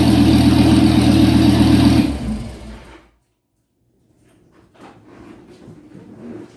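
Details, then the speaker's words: Dodge Viper with the side exhaust cut off right after the catalytic converters: very loud, raspy, deep engine note running steady for two seconds then cutting off; open exhaust, sounds poor. "Yeah, definitely loud. Sounds pretty crappy that way too, so."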